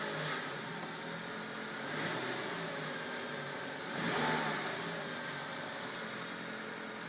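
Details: 2005 Nissan X-Trail 2.0 petrol, 170,000 km, automatic, cold engine at idle: fast dry rattle swelling every couple of seconds, happens only when cold; cause unknown.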